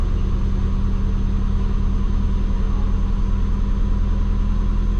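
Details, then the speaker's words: Twin turbo Subaru after base timing rescale, at temperature: idle drops to target 600 then drifts up through 700, 900 rpm; hunting idle, owner suspects injectors at 0.8 pulse width can't go lower. "Drops down to the 600 where it should be. 700, 900. It's working its way back up. I don't think the injectors can go that low."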